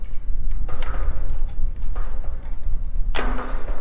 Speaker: so when it hits the top dead center and it switches over is where that big clank's coming from